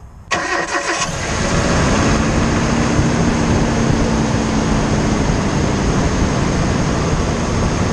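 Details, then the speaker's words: A quick, light rapping rides over the cold idle right after the engine cranks and catches, on a cold winter morning at first startup. It fades quickly once running. Owner believes it is piston slap, but this is unconfirmed without teardown. "so piston slap happens when your piston actually starts to rock inside the cylinder wore like this and the skirts of the piston will actually slap the walls of the cylinder usually happens on colder morning's or upon initial startup when the engine is cold"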